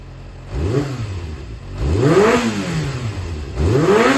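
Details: Yamaha XJR400 (4HM) engine assembly sold separately, start-check run, no abnormal noise or white smoke, compression tested: three clean throttle blips, revs rising and falling smoothly, no knocks or rattles; healthy.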